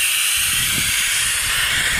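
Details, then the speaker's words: RamAir air compressor with motor stopped: steady hard hiss of pressurised air escaping continuously around the shaft seal. "but uh let's again it's squeezing all the air around the [Music] shaft and with it not running you could hear it really dushing out"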